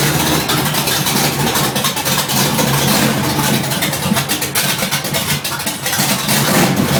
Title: Rough idle third gen